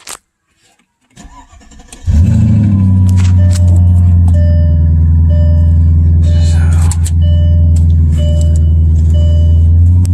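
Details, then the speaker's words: 2002 Mercedes-Benz S430 V8, 273,807 miles, cranks and catches, then idles with a loud, rapid puffing pulse from an exhaust leak. "so what I'm going to do is I'm going to start this up so you can hear the awesome exhaust leak"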